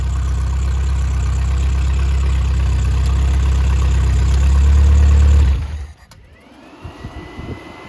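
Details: Triumph Spitfire/MG Midget 1500 engine FP59738UE after performance rebuild (flat-top pistons, 270 cam), warm: strong, even low rumble with no knocks or misses, then clean shutoff; oil pressure 60–65 psi, compression 195–202; normal running.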